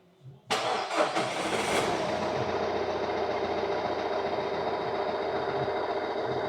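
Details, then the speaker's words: Renault Trafic 3 R9M diesel, first start after timing chain replacement: quick crank, catches at once, settles into even smooth idle with no knocks or rattles, like a sewing machine; healthy. "That sounds beautiful. Sounds like a little sinker sewing machine."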